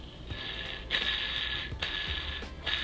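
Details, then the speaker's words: Shimano TwinPower SW saltwater spinning reel, heavily used about a year, four to five times a week: gritty, raspy whirring with each handle crank from a worn handle bearing that could not be revived and needs replacing. "you guys hear that that is the bearing in the handle has gone bad I tried heck yesterday to revive that bearing but it needs to be replaced"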